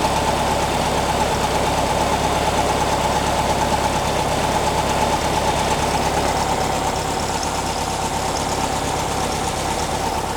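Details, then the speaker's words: 1957 oval-window VW air-cooled four with generator, idling very low: an even chuff with no misses or knocks, and a slight bog with more fuel before adjustment. Healthy idle. "sounds good more fuel you got a little bit of a bog to you better all right that's good"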